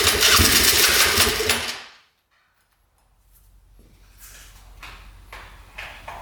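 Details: 1997 Polaris Magnum 425 6x6 ATV: rough fast popping, three to four per second, back through the carb before dying; engine otherwise smooth; owner guesses unprimed fuel pump running it lean.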